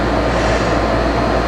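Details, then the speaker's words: Garage air conditioner just installed in an insulated garage, heard from about 8–10 feet away: steady even hum with a low drone and airflow hiss, no rattles or cycling; running normally and blowing cold air. "There it is, hooked up and working."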